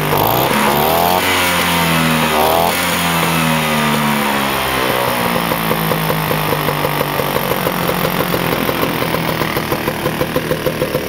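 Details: Vespa scooter two-stroke with freshly rebuilt head, restarted after cooling down, on 3–4% break-in oil mix: catches after a brief burst, then settles into a steady, even idle with crisp regular popping; healthy, normal idle.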